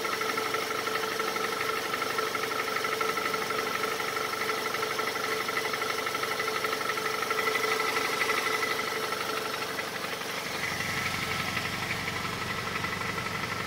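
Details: Honda CR-V 2.4 on a lift, idling while warming up. A light, regular tapping of about three per second is heard from underneath and lessens as the engine warms. The owner suspects the exhaust tract.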